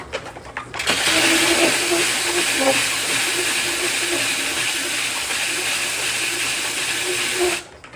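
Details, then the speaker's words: DIY guitar rim sander: steady high sanding hiss with faint uneven chatter because the unsanded guitar rim is not yet shaped to the disc. "you can hear it's not quite to the shape of the disc yet. You hear it kind of chatter a little."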